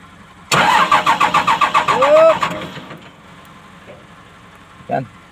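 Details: Komatsu PC200-8N1 excavator diesel cranking: about seven rapid starter pulses a second for nearly two seconds, then fades without catching; hard starting caused by a leaking fuel relief valve on the common rail.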